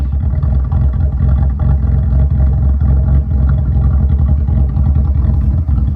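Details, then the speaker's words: V6 Evo X after exhaust fixed: deep, steady rumble with smooth, even exhaust pulse, no rattles or leaks; normal exhaust note. "It sounds good. I know. Oh, man. It's pretty nice."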